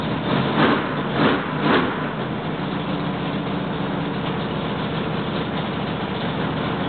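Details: Freshly rebuilt L88 427 Chevy V8 from a '66 Chevy II, hydraulic roller cam, aluminum heads, first start-up: sharp throttle blips then raised even idle holding steady; normal fast break-in idle.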